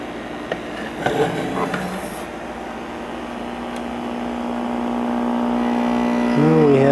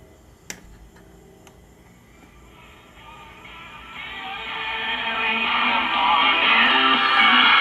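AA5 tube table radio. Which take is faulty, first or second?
first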